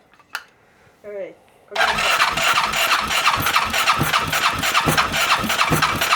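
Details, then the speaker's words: Freshly rebuilt ATV engine, first start with much larger jets fitted: cranks then catches into loud, uneven, popping run with irregular bangs, fuel coming from exhaust and leaking; running rich and backfiring. "Vähän tuppaa rikkaalla käymään. Vähän tulee polttoainetta pakoputkesta."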